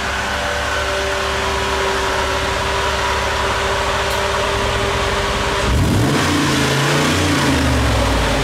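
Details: Mercedes G55 AMG V8 with side pipes: deep, even idle swelling into a strong rev and settling back, no knock, misfire or rattle; engine sounds healthy, though it is later seen to sit slanted.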